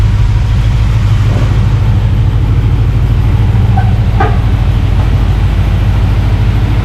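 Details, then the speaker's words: Rebuilt engine first running, clutch not hooked up, about two gallons of fuel, warm at 190°F with 190 thermostat, 60-65 psi oil pressure: deep steady even idle, no knocks or ticks; normal idle. "awesome beautiful sound pretty cool pretty cool awesome time to finish details well that's it it runs"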